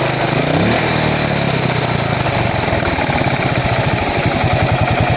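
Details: 2008 Buell Blast single-cylinder motorcycle: rough idle, uneven lumpy beat with pulses stumbling rather than firing steadily.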